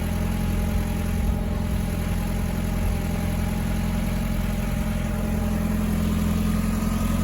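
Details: Mk4 VW 1.8T with K04 turbo, after the cracked head behind low compression and misfires was replaced, timing reset and new NGK BKR7E plugs fitted: steady, even low idle with a smooth continuous hum, no misses or knocks; normal idle.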